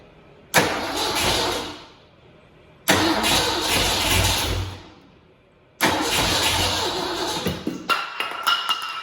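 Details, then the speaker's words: Freshly rebuilt V8 with headers, started for the first time after reassembly with no priming, gas, or starter fluid. It catches at once three times into a lumpy, shaking idle before dying back. "We didn't put gas in the carburetor. We didn't hit it with starter fluid. It just wants to run."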